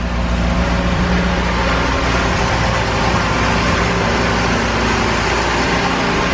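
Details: 1968 BMW 1602 first firing after 10+ years of sitting, on jack stands, choke over halfway off; debris blew out of the exhaust and the radiator is dripping. Uneven, lumpy running with a low unsteady throb and exhaust chuff: rough idle.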